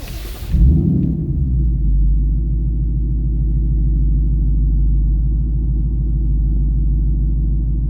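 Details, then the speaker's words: 2019 Ford Mustang GT start, window cracked, owner chasing intermittent front chirp/squeak: catches in under a second, deep steady exhaust rumble, no squeak or tick (background ticking is construction); normal idle. "so you can hear that's what it's supposed to sound like"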